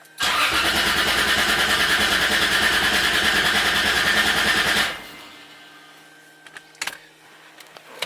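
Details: Toyota Supra: starter turns briefly, the engine catches at once and runs strong and even for about four seconds before shutting off; a healthy start.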